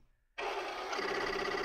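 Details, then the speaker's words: Commodore PET computer being powered on with disk drives attached: silence, then a sudden steady whirring hum with a faint high whine as the drives reset normally at power-up. "And it, of course, makes the drives reset."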